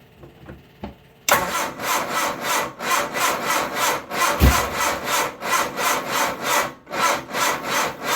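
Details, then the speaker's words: 1978 MG Midget, 4-speed manual, side-draft carbs, long neglected, on a small jump box, fuel pump running: slow uneven labored cranking, about three compressions a second, never catches; owner suspects jump box lacks power; slow cranking. "Doesn't sound very happy. Alright. I don't think my little jump box is putting out enough power to turn it."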